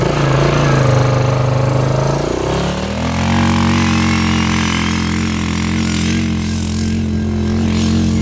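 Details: 1998 Yamaha Grizzly 600 4x4 ATV, previously limited to about 10-15 mph, test ride after repair; single idles, revs up and settles into a strong steady drone under load, no misfire, easily going 55, completely fixed.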